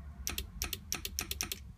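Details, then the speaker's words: Hurst line lock solenoid, armed only in first gear, switched on via its switch; crisp clicks in quick pairs about five times in two seconds over a quiet background; solenoid switching properly, seemingly electrically and hydraulically sound. "And then you can hear the solenoid"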